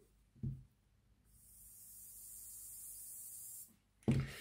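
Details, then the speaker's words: Tri-ang Stephenson's Rocket model train motor after magnet repositioned: thin, high whir holds steady about two seconds between handling knocks, bearing no longer wiggling; rear bearing probably melted from lack of oil; now runs normally. "the motor is spinning and the bearing isn't wiggling about I think we're winning"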